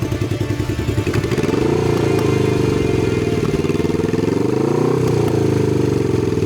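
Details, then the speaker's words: Cafe-racer motorcycle project with electrical issues, stock engine, after riding: the thumping idle stumbles and drops out irregularly around blips. It started missing and starts harder the longer it is ridden; cause unknown. "sounds like bubble bike yeah it started missing"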